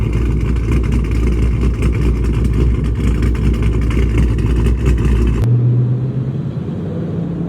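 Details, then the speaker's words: Dodge Charger Scat Pack 392 V8 with cam, 1050X injectors and Boost-a-Pump, about 1.5 minutes after start: deep, loud, choppy cammed lope, even beat to beat with no misfire or stumble; healthy idle. "So it's finally idling the way it needs to. It took about almost like a minute 30, but yeah, that's pretty much what it sounds like."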